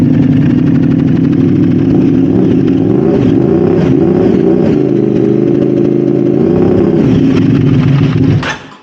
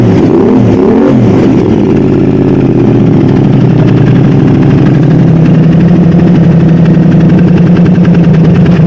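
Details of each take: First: Modified Aprilia RS660 after throttle body reset and fault clear, no faults shown: uneven, lumpy running with hunting, stumbling revs; throttle still playing up, cause unknown. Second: Modified Aprilia RS660 first start after oil filter change, new exhaust and coolant refill, before bespoke remap: strong, even low burble settling into a steady smooth idle; sounds healthy.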